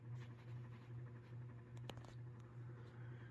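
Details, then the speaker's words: 1989 36-inch Encon Premier Deluxe ceiling fan, new in box, dormant 30+ years: low steady motor hum with rhythmic hum and faint, fairly regular pitter-patter from the bearings; expected after long storage. "the bearings make a little noise as well from being sitting dormant for 30 plus years that's to be expected [Music] you can really hear the bearings kind of make that pitter-pattering sound"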